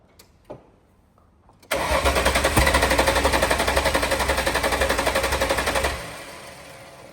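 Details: VL Berlina turbo build being started after coil/lead changes, fuel pressure in doubt: engine fires and runs unevenly, sharp pops about four a second over a ragged idle before dying; fuel pressure suspected, unconfirmed.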